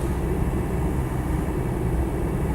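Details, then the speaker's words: Land Rover 90 2.5 TD in fifth gear, throttle lifted on overrun: steady low diesel drone and road rumble, no backlash or clunks from rear diff or prop shafts; drivetrain sounds solid and normal. "no real backlash in the transmission certainly no heavy funks or anything from the um from the rear diff or the prop shafts or anything it all feels pretty good and solid"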